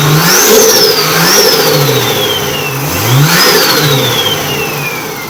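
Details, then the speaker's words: Nissan R31 RB30 after cleaning a dirty distributor to cure a misfire, idling and revving: engine picks up cleanly through several blips, pitch rising and falling smoothly with no stumble or miss; runs healthy. "so as you can see runs a lot smoother um it seems to have gotten rid of the the H Mis fire so I'd say it was just the distributor was dirty"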